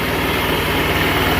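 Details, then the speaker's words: GY6 150cc scooter, brought in not running on old fuel, now fitted with fresh gas, a new fuel filter, replaced vacuum lines and a new carb, with the air intake still off. It idles as a steady, even putter with no misses or knocks. "I still have the air intake off right now, but as you can see, it's running like a top."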